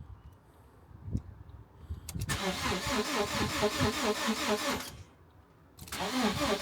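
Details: Salvage Copart Ford Ka on a brand new battery after trying indicator-sequence reset of the crash-tripped fuel cut-off: steady cranking about two turns a second for several seconds, never fires; reset failed, fuel still cut.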